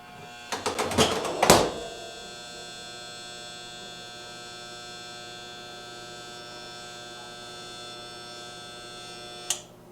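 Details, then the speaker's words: Jenn-Air fridge not cooling and clicking: after a few clicks, a steady low electrical hum from the compressor for about eight seconds with no run-up; the compressor hums but fails to start; the combination relay (RC0410) was replaced. "you hear that humming noise that humming noise is coming from the compressor"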